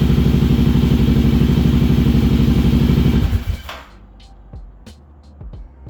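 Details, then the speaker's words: Kawasaki KLR 650 single after a wiring fix for constant power with the key off. Even, steady thump at about four beats a second, then it shuts off. It only runs on choke and needs rejetting after moving up 1,000 ft. Normal running on choke. "All right, it runs. Only runs with the choke, so obviously we gotta do some jetting because I went up 1,000 feet, but here you go."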